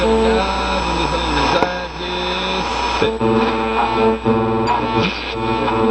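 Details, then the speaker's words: Lafayette vintage tube radio after replacing a near-shorted capacitor, watching the tube for red plate: clear broadcast music with no hum, buzz or crackle; set now plays normally. "That actually sounds pretty good."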